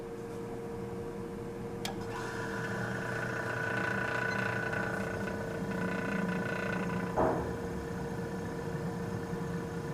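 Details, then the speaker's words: Vintage Westinghouse fridge compressor started with clip leads on the run and start terminals: a click, then a steady, even mid-pitched hum with no rattle or labouring, in a cold room; nameplate rating 3.2 amps; running normally. "amps and she's running doesn't even sound all that bad it's a 3.2 amps according to the nameplate"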